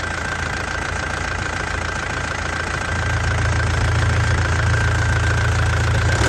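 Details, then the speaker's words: 2003 Isuzu Panther Touring turbo diesel, manual, at idle: even, crisp diesel clatter, stable with no misses, knocks or smoke; a healthy engine. "Suaranya masih renyah. Enak ya. Mesinnya juga stabil, tidak pincang ya."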